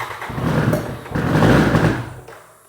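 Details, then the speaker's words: 1993 BMW K100 motorcycle first start after new battery and new fuel pump, old stale gas in tank: engine surges twice with ragged, uneven bursts then sags and dies; rough running, owner suspects from sitting unused a long time. "it's running a bit rough maybe because it haven't ran in a while"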